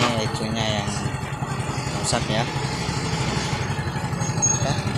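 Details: Yamaha FreeGo single-cylinder scooter that would not start (totally dead ECU): steady idle with even low putter under some street noise; normal running.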